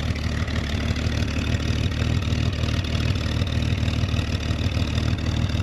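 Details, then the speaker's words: 1966 Chevrolet Corvair Monza convertible, warm air-cooled flat-six, started in neutral with parking brake on and no throttle, starts perfectly: steady, even low burble of about three beats a second with no knocks or misses, normal idle. "ça ronronne bien comme on dit ça tourne rond"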